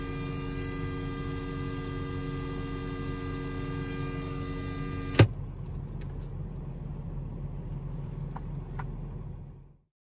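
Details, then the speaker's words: Car radio on an auxiliary-cable connection to a phone: a steady electrical ground-loop buzz with a high whine over engine rumble, ending with a click when the aux is unplugged. "do you want to get rid of this buzzing [Music]"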